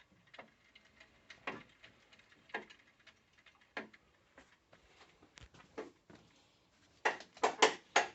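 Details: NordicTrack 890/990 Pro treadmill running: sharp knocks about once a second, growing heavier and more clustered; nothing found loose after tightening; dust from the belts breaking down; cause unknown.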